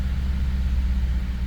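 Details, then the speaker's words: 2011 Ford F-150 5.0 V8 after crank-no-start repair and reconnecting a broken injector/coil connector: lumpy idle during power balance test, cylinder six still misfiring; coil seems to fire, injector on number six being checked. "no no still not super smooth but let's see still missing number six number six now"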